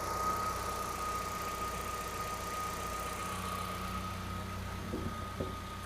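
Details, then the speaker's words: 2009 Kia Rio 1.6L with intermittent no-code stumble and stall, just restarted with the crank sensor reading fine on the scope: even, steady idle with a faint constant high hum and no stumble or dropouts, running smoothly. "Okay, so it starts back up. Started up perfectly. Again, running beautiful."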